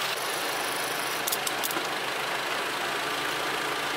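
Smooth, constant idle hum with no misses, knocks or hunting in speed; the engine settles and runs cleanly and healthy.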